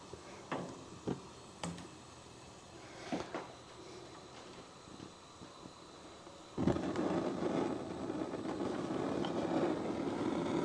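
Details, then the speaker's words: Gas fireplace with IFC control module and Proflame 2 remote, switched to smart then high: a few soft clicks as pilot lights, then a whoosh into steady even roar as main burners light cleanly — normal ignition. "we're going to go to smart then we're just going to go to our high position our pilot comes on and then our main burners come on"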